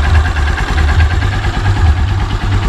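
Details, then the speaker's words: Honda Supremo with heavy cargo sidecar, about 2 years old, 16,833 km, used almost daily for hauling, broken in properly: steady even low putter at idle, no ticking or knocking; healthy engine. "Napakakondisyon yan, kahit na halos araw-araw ginagamit namin sa paghahakot ng mga paninda. Yan yung tunog niya."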